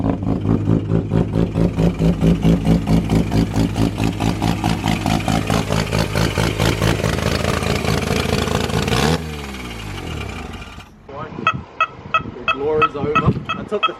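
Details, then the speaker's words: Mazda FD RX-7 bridgeported rotary, first start after clearing flooding, fuel pump relay jumpered: choppy, lumpy ported-rotary idle, then a sharp rev that settles back. It starts right up and runs healthy. "oh there we go Lads she started just like that that's [ __ ] nasty"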